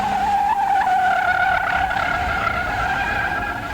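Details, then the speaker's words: Street tires (Comp T1s) on an autocross car give a loud, ragged squall through a corner, beyond the peak tractive limit and only making noise instead of a useful squeal. "These tires are now squalling. And they're not doing anything but making noise. We've gone beyond the peak tractive limit and the usefulness of the tires."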